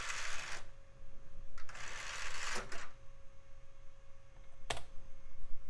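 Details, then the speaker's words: Mid-2000s budget PC CD-ROM drive trying to boot and read CD-Rs: short whirring spin-up and seek bursts with a faint steady tone, repeating without settling; drive fails to read, possibly can't read CD-Rs. "tried the cdrom boot but it also sounds like it's struggling it may not be capable of reading cdrs"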